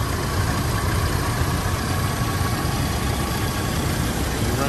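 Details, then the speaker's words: 1985 Oldsmobile Cutlass Supreme idling with the A/C compressor on after new compressor and alternator belts: smooth, even low rumble, no flapping or slapping; the old belt's flapping noise is gone. "Now it sounds good with the compressor on. It ain't making that crazy noise from that belt."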